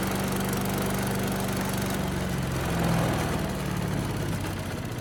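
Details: Tecumseh-powered Yard Machines chipper rescued from a trash pile, first run after an oil change with some water still in the oil: a loud, steady single-cylinder drone that settles to a lower even speed. It started first pull and runs well at high and low speed.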